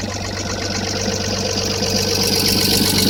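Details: Toyota 1FZ-FE six-cylinder at idle: crisp, even valve ticking about four times a second over a steady idle, typical of valves needing adjustment.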